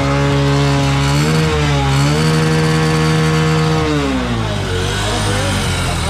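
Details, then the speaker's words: New Bajaj CT125 motorcycle that suddenly stalled and would not start from loss of compression, blamed on carbon deposits at the valve. After the oil-and-gasoline fix it revs up and settles smoothly with even firing. "kapag ka umandar mga boss ah paandar andarin niyo lang para mawala yung mga carbon deposit doun sa kanyang barbula"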